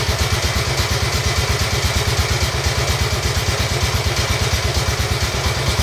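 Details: Royal Enfield Bullet 350 Classic, first start after partial seizure repair: cylinder honed, new rings, decoked, valves set, carb cleaned: steady, even fast idle on choke, slightly lumpy but clean; engine dislikes choke; normal idle.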